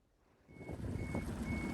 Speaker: If you can hear that beeping, it's the collision alert on the AIS. Drives you nuts when you're in a shippy zone.